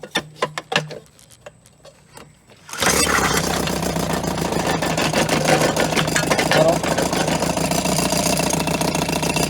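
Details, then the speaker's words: 1990 Evinrude 3.5hp two-stroke outboard, tuned up after having no spark: a few pull-cord rasps, then it catches at once and settles into a fast, even buzzing idle. "90 lives again very smooth uh it's going to crawl it's gonna have a nice height"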